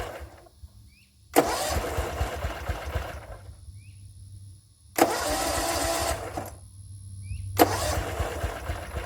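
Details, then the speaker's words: Gravely 34Z commercial zero-turn mower on jack stands, choke on, just after drive and blade belt replacement: three cranking bursts of quick even starter chugging, never catches. Cranks but won't start; owner says it's unrelated to the repair. "something's wrong, and it isn't to do with anything I've done. The motor just doesn't want to start. It's trying."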